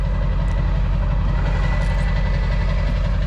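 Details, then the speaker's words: Polaris SL750 two-stroke jetski on a lake at 38 degrees, with battery nearly dead earlier: now fires right up on its own with no starting fluid, even low rumble about two firing beats per second, no misses or surging; normal idle. "the battery was pretty much dead on this thing it wouldn't it wouldn't spin it over at all and now it starts just fine on its own with zero starting fluid just fires right up"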